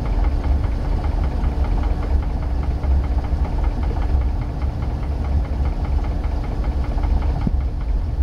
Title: 1990 Sea Ray Sundancer 454 engine knock